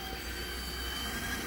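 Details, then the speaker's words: Toshiba KV-4000 V-Cord VCR, servo circuit tested fine: thin, steady high squeal while tape moves; suspected worn idler belt lacking torque (can't rewind), possibly dry motor shaft, belt not yet changed. "you hear that squealing that that is squealing like a dying pig that's that's not great now I don't know if also if the shaft of the motor should get oil too like if the schooling is from like the actual shaft itself"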